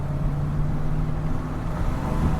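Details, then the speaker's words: Copart Chevy Silverado V8 with a new transmission, held in each gear while shifting through: a deep, lumpy exhaust drone with an uneven, loping beat. The owner notes many misfires still occurring, with the issue possibly elsewhere. "okay the misfires are still going on so that is unfortunate I guess we have an issue elsewhere it runs like absolute crap we have a lot of misfires"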